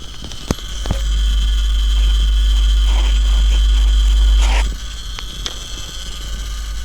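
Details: Kostal PIKO 10.1 grid-tie solar inverter with 0 input and 0 output: sharp irregular crackles over a steady electrical buzz and thin high whine, seemingly from the 3-phase PCB; relays and most SMD capacitors tested fine.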